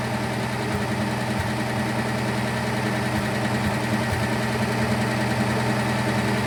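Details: Austin K9 vintage truck petrol engine under restoration: uneven idle with a cylinder dropping out, misfiring; owner suspects oil poured over a spark plug, and all plugs are being changed; worn, unevenly seated distributor cap also possibly to blame.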